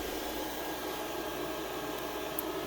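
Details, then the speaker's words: Off-grid solar shed ground-loop cooling pump keeping the batteries at 68°F, with the shed at 85°F and 88°F outside: a quiet, even hum with a soft hiss and no rattles or surging. Normal pump running. "that pump's running. So the environment control system is working, and the buried ground loop is able to keep the batteries below 70 degrees even on an 88 degree day."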